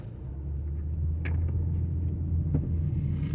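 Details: 2011–2021 Dodge Durango, Cherokee or Charger, driving and turning after repair of a knocking noise at the driveshaft support: steady low road rumble while turning, with no knock or clunk from underneath; driveshaft runs smooth and quiet.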